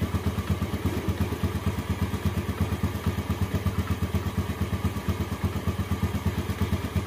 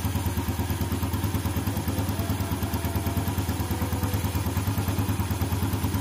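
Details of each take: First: Steady clatter, roughly three knocks a second, at cold idle on a 2014 Yamaha Jupiter Z1; first suspected from inside the engine, actually traced to breather hose choked with dirt and water. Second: 2014 Yamaha Jupiter Z1, whose clatter appeared with the engine cold: after cleaning water and dirt out of the crankcase breather hose, a steady, even single-cylinder idle at about three pulses a second with the clatter gone.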